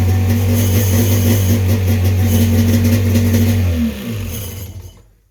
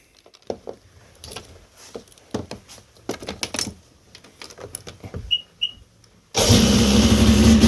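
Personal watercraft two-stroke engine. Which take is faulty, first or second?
first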